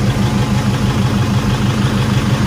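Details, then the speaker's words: Diesel Toyota Fortuner/Kijang or Pajero just after fuel filter replacement and priming: starts easily, then firm even clatter at constant pace with no misses or hunting; normal healthy idle. "nah ini langsung bisa distarter dengan mudah ya"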